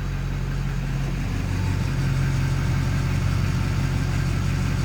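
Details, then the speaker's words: 2004 Duramax LB7 diesel idling with newly installed FASS lift pump, listening for pump noise: deep, smooth idle with no added pump whine or ticking; lift pump noise very minimal, not loud at all. "Very, very minimal noise. I don't know if you guys will be able to hear that, but it is not loud at all."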